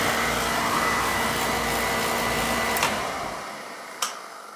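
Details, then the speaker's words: Beckett oil burner that kept tripping its safety control, with electrodes cleaned: steady roaring rush with a faint thin tone and a couple of sharp clicks as it fades; fire is much better, burner firing cleanly. "all right i'll turn up the wall i'm gonna see how she fires fire is a lot better there"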